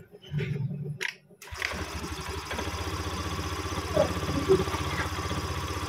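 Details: Honda Beat ESP scooter: a few heavy clunks as the starter bites, then it catches and settles to idle; CVT opened, nothing broken; starter knock attributed to a weak battery.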